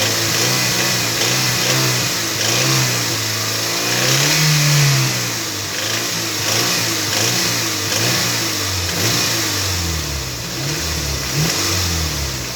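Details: Toyota MR2 Mk3 Roadster, laid up for a long time, now on fresh fuel and a new battery. Revs rise and fall with a tinny metallic rattle in the mid range, 2200–2500rpm. Source still unknown; part 1 of the diagnosis.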